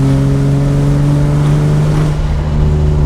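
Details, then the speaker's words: E36 BMW M3 after head gasket and exhaust valve rebuild, warm, pulling in third gear around 30 mph: deep, hollow, booming exhaust drone; muffler suspected to have gone bad. "That does not sound good. The muffler has definitely gone bad, so we might need a new exhaust."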